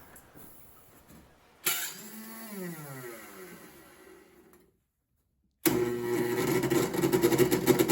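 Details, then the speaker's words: MTD 4.5 21 single-stage snowblower, two-cycle oil-gas engine that has likely sat a couple of years. It won't pull-start, and the electric starter whirs with a sagging pitch and never fires. No fuel is heard reaching the carburetor on priming and the plug is dry: clogged carburetor jet. "okay so as you can see it's not pull starting um it should have already started if it was in working order"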